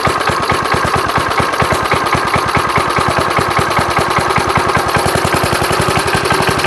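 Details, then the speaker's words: 1975 Murphy's 20-inch push mower, long stored in a shed, on starting fluid: small single fires in quick even pops, about seven a second, and it keeps running after a hard start. Low compression from sitting is suspected. "let's get a little laughing gas to put in there to help it out because I'm sure the compression is down on it from sitting come on baby try and build a little compression"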